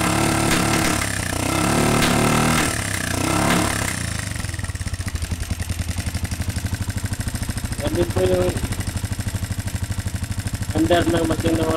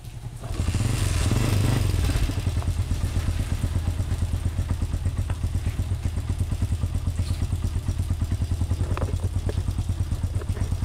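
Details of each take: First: Honda TMX125 single-cylinder after a new stator and CDI: catches and idles with a loud, rapid tapping clatter and uneven pops; the intake valve is worn thin and needs a valve job. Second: Honda TMX125 single-cylinder after new stator, CDI, valves, genuine pushrod and cylinder cleaning: fires up and settles into a steady, even low thump with no misses or pops; normal running.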